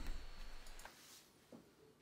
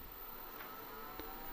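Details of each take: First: IBM 5155 power supply with only an old MFM hard drive as load: a brief rumble and a couple of drive clicks, then near silence as the supply shuts down from insufficient load. It starts once more drives are added. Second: IBM 5155 power supply switching on and running normally with only test and internal hard drives as load (floppy and mainboard disconnected): quiet steady whir, faint tone, soft clicks; outputs measured 5.2 V, 12.1 V, −12 V.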